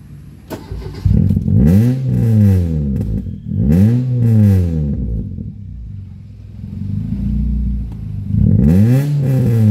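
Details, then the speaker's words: Ford Lynx crank no start: starter cranks repeatedly but engine never catches; fuel pressure present and coils fine, but no spark at high-tension wires and no power at main relay, ECU and crank sensor. "cranking pala siya Pero hindi umaandar hindi pala siya no Crank no start cranking pero ayaw lang tumuloy ng andar niya kasi walang ngang kuryente na lumalabas dito"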